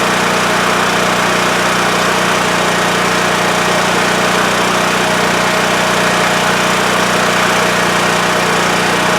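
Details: WEN TF1450X 14500W tri-fuel generator after repair, previously running 20 seconds then dying from lost spark: constant, even engine hum at fixed speed, no surging, hunting or dying off; now holds speed past 20 seconds, display shows 232 volts.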